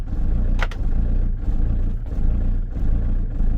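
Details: Van diesel engine just after replacing the fuel tank solenoid/lift pump and fuel filter; idle surging and dipping about every second and a half, lumpy and uneven, while the new fuel system purges air. Rough running that soon smooths out.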